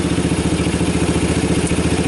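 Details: 1990 Kawasaki Bayou 220 single-cylinder junkyard ATV, carb replaced, recoil starter rebuilt, good compression, after cold start: steady even idle putter, no knocks or misses, charging the battery with bright headlights, a little smoke; normal idle.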